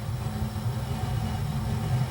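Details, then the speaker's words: 40-gallon gas water heater just relit after gas valve replacement, tank freshly filled with cold water: soft, steady low burner rumble, even and unbroken with no popping; burner operating normally. "And you're going to see and hear a lot of popping and fizzing because you're putting that ice cold water in here and you're turning this burner on"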